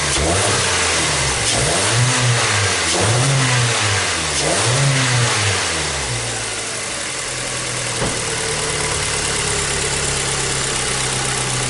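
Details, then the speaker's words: 2014 Hyundai Tucson, 2.0 L petrol: engine picks up cleanly through a few blips, then settles to a smooth, even idle with no stumble or shaking like before; normal idle and rev. "okay so you the vehicle is running right it's running real smooth it's not shaking up on island like it was before right"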